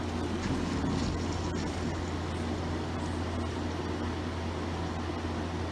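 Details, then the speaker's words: Samsung DW-ADR5061UG dishwasher on a cleaning run for bad odor, after refilling, recirculating water through the spray arms: steady, even low pump hum with no knocks or rattles, running normally. "so here's where the noise makes while it's uh doing its spray recirculation on us spray arms"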